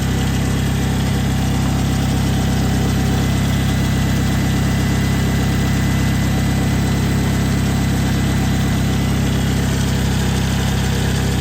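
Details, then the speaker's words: 2011 Toyota Camry at idle just after the serpentine/power steering belt, which had come off with animal nest remnants found, was refitted. Steady, even low hum with no squeal or slap; belts running straight and true. Normal idle. "okay everything looks like it's running straight and true"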